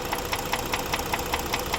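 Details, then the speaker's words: Sharp metallic knock about five times a second over a steady idle, even and persistent. Oil supply is judged fine, so a loose component is blamed: a connecting rod, louder at this spot. Cylinders 2 and 3 had been failing. "este va a ser una biela del pistón acá se oye más y luego entonces aquí está el ruido"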